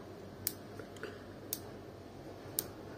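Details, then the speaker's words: Gas cooktop igniter clicking about once a second on its own, continuously; described cause is spilled water or tea running down under the knobs into the switch mechanism and shorting it, fixed by removing the knob and drying with a hair dryer. "ocaktan bu şekilde çakma sesi geliyor bakalım bu sorunu nasıl halledeceğiz"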